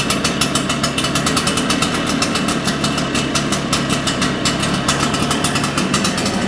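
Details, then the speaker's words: Shindaiwa EB802RT backpack blower, two-stroke, after carburettor work for dying on acceleration: crisp rapid firing that stays steady and even without stumbling; accelerates cleanly, acceleration problem solved. "sounds like that solved our acceleration problem"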